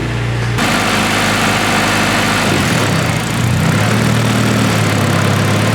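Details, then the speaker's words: Honda K-series swapped Nissan S14 on first start, warming up with a dyno fan in place of missing radiator fans: smooth, steady idle, even low rumble, no ticks, knocks or misses, no leaks; normal idle. "she's getting hot so um she's idling great it sounds amazing uh there's no leaks yet which is dope"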